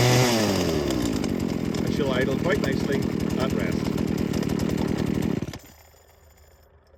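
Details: Two-stroke engine, choke pushed off after about 20 seconds on half choke: high revs ease down to a smooth, steady burble that holds evenly until switch-off; a healthy idle.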